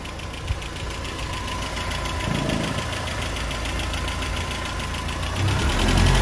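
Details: Land Rover Series 3 warm idle without choke after installing a PCV valve: steady, even low rumble with a regular pulse, no stumbling, but it hesitates on full throttle; owner suspects timing/carb reset needed or faulty valve. Normal warm idle.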